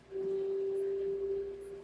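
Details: Microwave, a hood (over-range) model, emits a single steady mid-pitched hum for about two seconds with nothing behind it; odd tonal noise of unknown cause.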